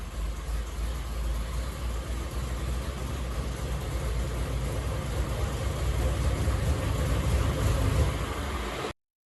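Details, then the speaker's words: 1970 Ford 351C 4V V8 on dyno, pump gas, sub-10:1 compression, mild hydraulic roller cam, about 430 hp and 430 lb-ft, no leaks, clean oil filter: strong even roar held steady under load, no knocks, ticks or misses; normal running. "Just a real sweetheart of an engine. So I'm going to put up a picture, and I'll let you listen to it sing."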